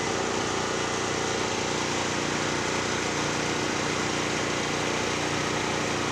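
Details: Generac GP5500 generator, formerly a no-start (brake-clean straw in the carburetor; on-off switch suspected), loaded with a 1,500 W heater and 1,270 W heat gun, checked on a kilowatt meter: steady, even drone with a busy high buzz, no misses or surges. Normal running.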